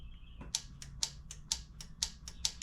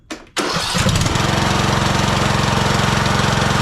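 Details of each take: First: Husqvarna TYH18542 riding mower, Briggs & Stratton 18.5 hp Intek: sharp solenoid clicks in loud-soft pairs as the key is cycled, engine not cranking. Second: Husqvarna TYH18542 riding mower, Briggs & Stratton 18.5 hp Intek single-cylinder, after an oil change with oil slightly overfilled: short crank, catches at once and settles into a steady even putter about four beats a second; healthy.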